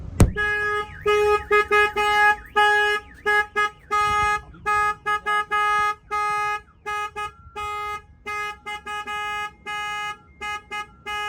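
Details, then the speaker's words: 2023 RAM Promaster with a newly installed alarm and remote starter: rapid, unevenly patterned warbling siren chirps after the alarm is triggered, then turned off by pressing unlock. Alarm working normally. "All right, I'm going to turn off the alarm by hitting unlock. That turns off the system."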